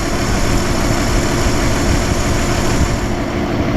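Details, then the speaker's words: 1955 Chevy 210 four-door revived after sitting many years, warmed up, mixture screw adjusted to cure an unsteady idle: steady, even idle with deep regular thrum, no stumbles or dips; smooth idle. "I think that's as smooth as you're going to get it listen to that that is beautiful"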